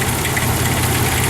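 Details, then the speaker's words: 1996 Dodge Dakota with muffler deleted and a Y pipe welded in after a glass pack or resonator: loud but even exhaust rumble at idle, steady beat, no ticking or knocking; engine itself fairly quiet, doesn't overheat. Normal idle. "But yeah, this is the engine running, and as you can hear, it's actually fairly quiet."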